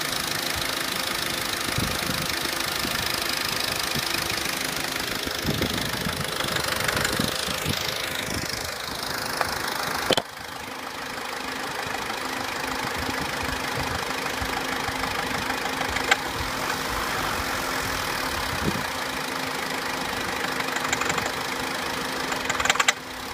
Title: Corsa C Exclusiv tapping/rattling noise (FIXED)